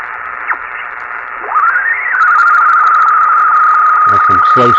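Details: Yaesu FT-101 early ham transceiver after cleaning the changeover relay in the PA compartment: tuning sweeps settle on a steady carrier, then a clear strong station voice; receiver now working normally.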